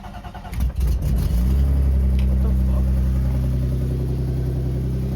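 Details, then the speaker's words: BMW E36 with an unresolved overheating problem, cold start: a long churning crank before it catches, then a lumpy, uneven low idle. It normally starts instantly; the owner suspects the head gasket, not confirmed. "It doesn't uh it never needs to crank up like that. So maybe yeah, maybe something's wrong."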